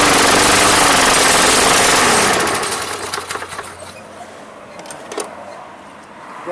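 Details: Craftsman Platinum lawn mower, Briggs 190cc engine, after no-start fix with replacement carburetor and throttle cable mimicked by hand: engine pulls strong and even at high speed about two seconds, then cut and winds down; healthy.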